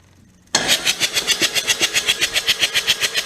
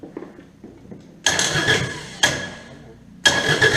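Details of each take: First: Kubota D722 three-cylinder diesel started on key with a charger connected, after pump work: fires instantly and settles into an even clatter of about four beats a second with no misses. Running as it should. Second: Kubota D722 diesel after pump install: cranks, catches and settles into a steady clatter with a slightly uneven beat; one dead cylinder, leak-down shows a leaking valve, intake suspected, not confirmed.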